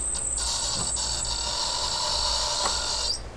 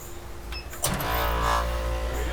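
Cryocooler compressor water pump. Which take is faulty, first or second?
first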